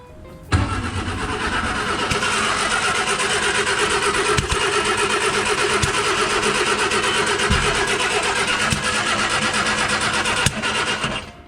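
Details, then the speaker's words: 1959 Austin Healey Sprite, first start after rebuild, small amount of fuel added; steady cranking broken by sharp pops spitting back through the carburettor filters, confirming spark; ignition timing suspected way out. "It spat back nicely a couple of times through the filters. So the timing could be way out, but at least it spat. So that means we've got spark."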